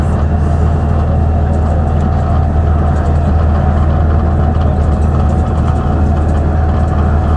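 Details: 2009 Mercedes-Benz CapaCity bus, OM 457 hLA Euro 5 diesel, ZF Ecomat 6 HP 602 C 6-speed automatic, recorded inside while moving: heavy diesel drone with faint steady whine from the noisy gearbox.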